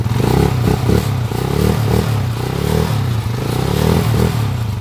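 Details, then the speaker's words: Honda TMX155 after a timing gear replacement, block rebore and new valve seal. The engine revs up and settles repeatedly with a clean low exhaust note and no high whine; the former cat-like timing gear whine is gone. "Wala nang pusa. No more. Meow meow."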